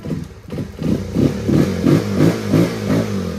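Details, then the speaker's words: Rusi motorcycle, one month old, that would not start; ECU (computer box) was shorting to ground, cutting spark and fuel; with ECU held off ground: fires and revs in steady surges about three per second, no misfire or knock. "Okay na? Nakatiin ka na? Subukan natin paandarin. Yun, o. It's alive!"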